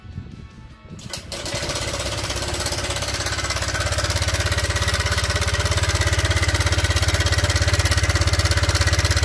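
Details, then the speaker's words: Honda Vario Techno 125 scooter with a rough engine noise and very black oil: it starts and idles with a loud, busy metallic clatter from a slack cam chain; the cam chain tensioner has failed and should be replaced. "ini stop tensionernya sudah jebol alias tidak berfungsi lagi ini Kalau sudah seperti ini sebenarnya kita harus ganti saja kawan"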